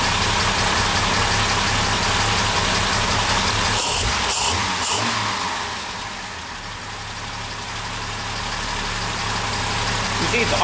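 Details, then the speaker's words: Twin SU carburettor engine after preliminary mixture and air-balance tuning, not yet fully warm: a steady, even idle with a regular beat and no misses or hunting, carbs balanced and running a lot smoother. "it's already running a lot smoother, a lot nicer."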